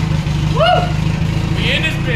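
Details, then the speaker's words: K24-swapped Mazda RX8 after uploading a newer tune, coolant filled, small leak: engine runs steady and even with no misses and revs up much better, sounding healthy. "oh dude it revs up so much better right now it wraps up so much better yeah she sounds happy"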